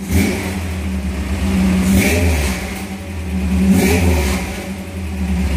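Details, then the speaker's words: 1978 Toyota Hilux with swapped-in 22R engine, carburetor barely touched, recorded on a phone; deep throaty rumble with two clean throttle blips settling back smoothly; healthy free revving. "not bad sounds pretty good man she rumbles pretty nice and never sounds that great on the recording as a phone"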